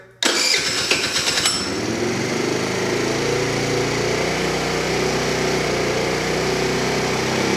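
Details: Tao Tao Pony ATM 50 scooter, 50cc GY6 139QMB engine, first startup after assembly and pre-oiling: cranks briefly, then a fast, steady buzzing idle well above normal; idle to be set to factory spec with a tachometer.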